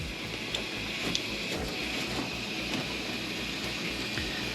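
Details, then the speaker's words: 1995 Dodge Ram 1500 5.2 electric fuel pump at full speed once the harness is lifted to restore a broken, corroded ground: a steady, even high-pitched whir, getting all 12 volts and 45 psi. "now it's running full blast it's getting all 12 volts and there's 45 psi up front"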